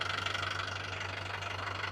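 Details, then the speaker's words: Land Rover Defender diesel at idle after warm-up during pre-purchase inspection: even, steady diesel clatter, constant and uniform rhythm with no odd knocks; normal healthy diesel idle, no faults. "essa batidinha clássica do diesel então é esse barulhinho ó a gente chama isso de reloginho ele tá ó redondinho tá sem nenhum tipo de avaria"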